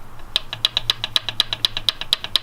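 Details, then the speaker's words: Nissan SR20-swapped 240SX, engine cold after sitting overnight: sharp even ticking about eight a second over faint engine hum, from down near the turbo manifold where PCV oil-return fitting popped out of block; tapping cause unconfirmed. "hear that it's tapping that shouldn't be happening now you can't see it there's no way that you guys can see it right now but it's basically right in here"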